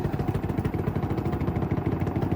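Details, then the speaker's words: Samsung WD90K5B10OX 9 kg washer dryer, spinning: rapid uneven thumping clatter over low motor hum as the drum bangs; front ballast found loose, cycle aborted. "yeah it looks like the front ballast is loose in fact I'm going to abort that I don't want to get into this if the ballast is loose"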